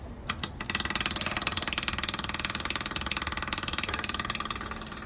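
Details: Rebuilt "Frankengenset" marine generator from a Tiara boat, run on the bench with fuel and antifreeze bled and a makeshift muffler: quick catch, then even steady chug about three beats a second, no misses or knocks; running normally.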